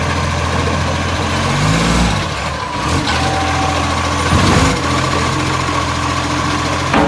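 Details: Brisbane garbage truck diesel at idle: low, steady idle with a raspy puffing chuff on top, typical of an exhaust leak blowing near the manifold.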